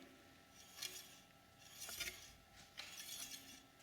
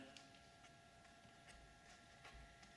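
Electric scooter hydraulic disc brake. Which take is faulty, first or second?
first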